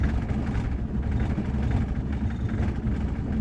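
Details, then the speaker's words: Vintage car at idle, lowered idle: low, uneven, lumpy shaking beat with strong vibration; rough idle, owner suspects dirty spark plugs months old and plans to clean them. "Malakas, guys, ang vibration niya, kaya rough idle siya, guys."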